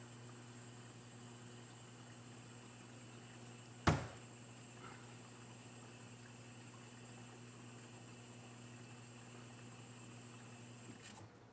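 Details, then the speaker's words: Kitchen Aid dishwasher after replacing the pump and motor: steady low quiet motor hum, soft water swishing, one light click; normal wash cycle. "Water swishing around inside there and a quiet motor underneath."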